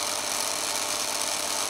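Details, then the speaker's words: Yaesu G5500 elevation rotator motor after bridging failed run capacitor with a good replacement capacitor (motor had been stalling and running slow): continuous even whirring with gear chatter at steady full speed, no labouring; back to normal running. "as i set up the motor again there we are back to normal whizzing away no fuss"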